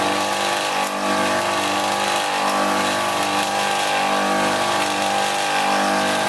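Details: Copeland ZB42KCE scroll compressor on a milk-tank ice-bank condensing unit, found not pumping: loud harsh running hum with a busy metallic rattle and no letup; the compressor is running rough and noisy.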